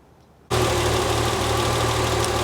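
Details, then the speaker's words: 1973 TVR 2500M six-cylinder, Ford carburettor tuned with Colortune plug: steady, slightly uneven idle with soft low pulse; mixture rich at idle, improving at high throttle; rich idle mixture. "okay so I'm not sure you can hear me but it does appear that this Ford carburetor is a little bit rich"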